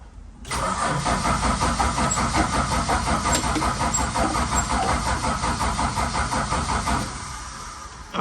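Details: Valiant Charger VH under restoration, restarted after weeks idle, refuelled after possibly running out, throttle pumped. Starter churns steadily about three beats a second for six seconds with no firing. Cranks but won't start; the pump leaks at the front when pressed. Cause unconfirmed.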